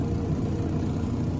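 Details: Maytag electric dryer, heavily worn, noisy on starting to spin: loud, steady low rumble with a droning drum and no clear knocks, from a worn idler pulley; it also isn't heating.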